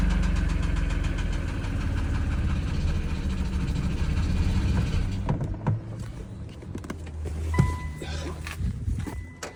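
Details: 2017 Infiniti Q60 Red Sport idling: steady rapid tapping for about five seconds, then running fades under handling noise; owner asks whether it is rod knock, cause unconfirmed.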